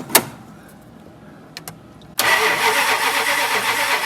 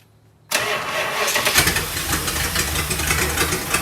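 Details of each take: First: 1965 Chrysler Imperial LeBaron, Edelbrock carb, fuel line disconnected: after quiet cranking clicks it fires abruptly, running slightly ragged on leftover fuel; flooded engine, carb needs rebuilding. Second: 1965 Chrysler Imperial LeBaron abandoned 20+ years, running on a new Edelbrock carb with a big exhaust leak and radiator leak: engine catches at once and settles into a steady, even run without misses; healthy start.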